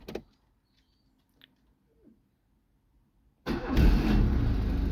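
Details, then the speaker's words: Rusty Opel Kadett kept 32 years by an old couple, nothing recorded in the service book since 1994, cold start: catches instantly and settles on choke into a steady, even idle after a rev, no stumbling; healthy. "it starts instantly and then AO choke you have to give it a REV runs nicely"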